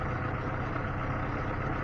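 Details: Lada Niva engine after owner-done valve clearance adjustment for valve knock; steady, smooth idle with even low hum and no top-end tapping. The chain tensioner is already worn.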